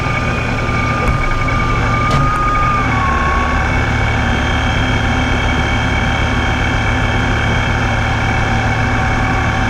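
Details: Vehicle with a Ripp supercharger: a loud, steady whine near 1 kHz, drifting slightly, over low idle and at crawling speed, only when in gear. Owner suspects a bad blower bearing; unconfirmed.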